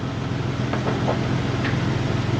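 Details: Toyota 4Runner 3.0 V6 after head gaskets, valve adjustment, timing belt and front main seal, idling while the headlight is refitted. Even, steady low idle with a few light handling knocks around it: runs smoothly, healthy.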